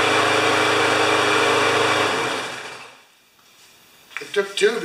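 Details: Five-horsepower Briggs & Stratton mower, hard to start, after fix: runs at a steady even buzz for about two seconds, then winds down cleanly; healthy, earlier likely flooded from priming.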